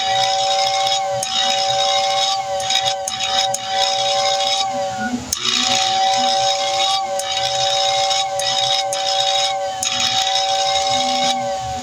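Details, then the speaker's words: Lionel air whistle after cleaning the brushes and oiling the armature shaft: a strong, steady two-note whistle with airy hiss, clean and full-voiced, much improved after the repair. "All right, the moment of truth. Oh, much better."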